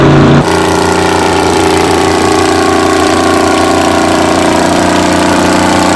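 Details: 60-year-old Massey Ferguson 98 tractor with Detroit Diesel GM 3-71 two-stroke after restoration: short start burst then steady even drone with strong low hum, no knocks; healthy.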